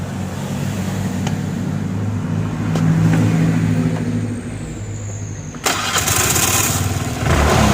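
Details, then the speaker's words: Suzuki Nex scooter before replacing its CVT rollers, pulley bowl and slider clips: rough idle with a loose, uneven rattle that rises on a throttle blip; owner suspects dry final-drive oil or a broken clutch bearing, not confirmed. "เนี่ยมันดังนั้นไม่รู้ว่าน้ำมันเฟืองท้ายแห้งหรือเปล่าไม่รู้คะแล้วก็ลูกปืนครัชแตกหรือเปล่าครับ"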